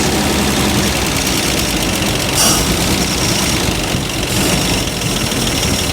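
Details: Abandoned 1949 Dodge truck flathead six, revived in the field after pulling the heads, no new parts, belts unhooked, no cooling: steady, even idle with a low rumble, no knocks or ticks; normal idle.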